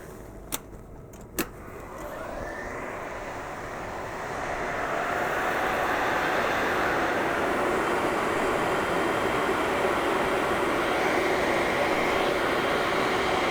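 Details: HP EVA6000 disk storage rack with four full disk shelves switched on: two sharp clicks, then a rushing air roar builds over a few seconds and holds steady; normal fan spin-up.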